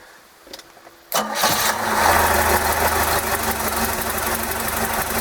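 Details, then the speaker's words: OMC 140 sterndrive cold start before carburetor adjustment, run in garage on garden-hose water supply for oil change: quiet cranking, then catches at once and settles into an even, steady idle; normal clean cold start. "so we'll go ahead and start it it'll be a cold start it may or may not run crude because I have not adjusted the carburetor yet"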